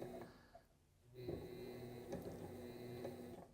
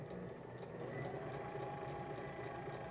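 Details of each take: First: Sailrite 230V sewing machine motor run on a 4000 W pure sine wave inverter: hum sags and picks up every few seconds instead of holding speed; surging, not recommended. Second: Sailrite sewing machine run on a 230V inverter during inverter tests: steady, even motor hum with fast, uniform stitching clatter and no surging; runs smoothly.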